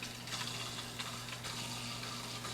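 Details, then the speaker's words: Small surface skimmer pump on a 20-gallon-long nano reef, with a steady low motor hum and buzzy overtone under trickling water. It was silent in the main display; gunk from a dirty sponge is suspected after moving it. "well not because of that but you can hear the motor it was absolutely silent when I had it over in the main display"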